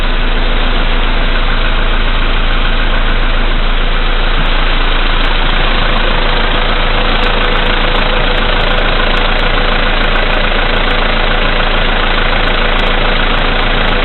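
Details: VW Polo Sedan CFNA petrol engine, 2222 km, cold start at −5 °C after sitting overnight, oil three matches below max, 98 fuel. At cold idle a steady knock of about three a second appears and grows louder as lights and heated glass add electrical load.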